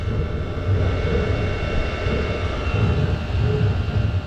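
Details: Chinese diesel air heater (PT-10) run as a waste-oil heater, acting up with weird noises; uneven roaring burn with wavering low rumble and faint hum; carbon buildup centered over the burn chamber exit, to be knocked out.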